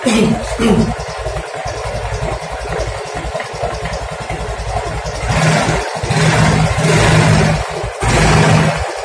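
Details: Yamaha Mio M3 125 scooter engine at idle and varying revs: rough, uneven deep mechanical knocking clatter from the engine's middle; mechanic suspects bearing and connecting rod, not confirmed.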